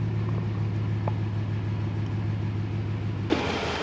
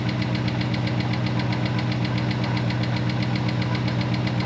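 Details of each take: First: Dodge Ram Hemi truck parked over two years, warming toward 210 coolant temperature: steady, even low idle with no ticking over the rumble; the earlier Hemi tick went away by itself, running smooth. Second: Dodge Ram Hemi V8 on its first start after sitting parked for 2 years, coolant temp sensor not working: sharp, even ticking about four times a second over a steady idle. Owner calls it the familiar Hemi tick and hopes it goes away; cause unknown.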